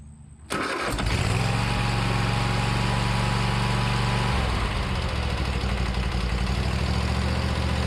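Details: Riding mower sitting about six months, now with new starter and battery: short quiet moment, then catches right away and settles into a steady, even idle with no stumbling; healthy start.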